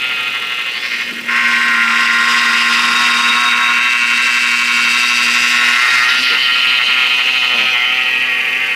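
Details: Chevy Avalanche engine: loud steady whine with a low hum, starting at idle and rising with rpm, much worse when turning the steering wheel or braking. Owner suspects the alternator, AC pump or power steering pump; cause unconfirmed.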